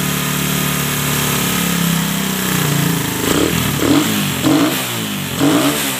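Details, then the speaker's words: Suzuki Satria FU, otherwise stock, just fitted with a new PE 26 carburetor and air filter: steady idle then several quick throttle blips rising and falling back cleanly; sound is good, runs smooth. "Oke teman-teman sudah mantap suaranya juga oke"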